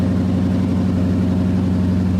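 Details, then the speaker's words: 2018 Dodge Charger police car Hemi V8 with new 3-inch exhaust and silencers, idle after first start: smooth, even deep burble, no misses or knocks; throatier but not too loud. Normal idle. "Oh, yeah, it's throatier. Way throatier. It's not absurd, you know what I mean? Like it's not too loud."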